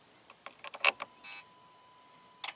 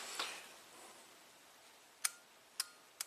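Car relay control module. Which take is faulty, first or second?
second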